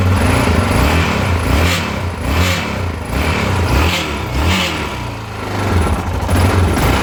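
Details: 2010 Yamaha XT660Z Tenere, 32k miles, revving: rough metallic grinding rattle that swells with throttle, seemingly from the engine's top end; cause unknown.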